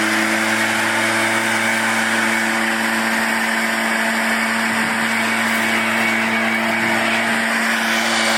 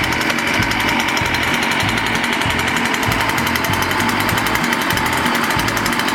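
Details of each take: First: Echo PB-500T backpack blower after rebuild and carburetor tuning, previously wouldn't idle and fell off when throttled: steady, even high-pitched drone at constant speed with no surging, misses or rattles; running normally. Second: Echo PB-500T backpack blower after rebuild, before carburetor tuning: two-stroke buzz surges and stumbles in uneven bursts, never settling to a steady run; needs carburetor adjustment (low-speed screw nearest engine); carburetor fault.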